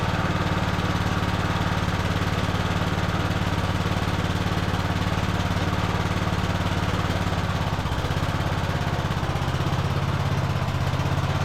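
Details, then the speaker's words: Cub Cadet LT1045 riding mower after carb cleaning and fuel system repair, run on manual choke: the small engine idles with a slow rise and fall, still surging; an air-fuel adjustment is planned. "it is still surging a little bit I'm going to try to make an adjustment on the air fuel"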